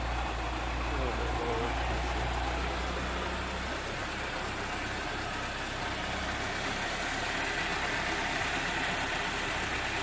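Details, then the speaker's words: Toyota AE86 project engine restarted after trimming the exhaust heat shield that hit the muffler bracket, oil burning off: steady, even idle with smooth low hum, shield rattle gone; healthy. "No more exhaust shield noise."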